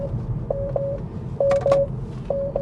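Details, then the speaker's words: Tesla driving on Autopilot: three pairs of clear mid-pitched electronic chimes over low road hum as Autosteer is locked out and unavailable for the rest of the drive. "It's unavailable for the rest of the drive. Do I get a countdown, or is it just going to stop? Now it's going to completely stop."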